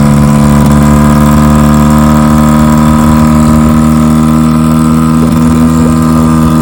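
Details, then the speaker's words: 1957 Johnson 5.5 HP outboard in a test barrel: steady, slightly uneven idle with no rise in speed, then it dies; no cooling water coming out, suspected not pumping water. "Okay, well, I put Jerry's motor in the tank, in the barrel with my tank, and it ran and then died. Sounds like it just wasn't pumping, and it's not pumping water."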